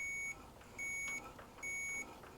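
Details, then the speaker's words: Antique Briggs & Stratton engine on a homemade mini farm tractor, points gap set to 20 thousandths on the engine, continuity meter: crisp beep switching on and off about every 0.75 s. The points are working with a good ground. "There we go. We should have a good ground there. All right, guys, the points are working."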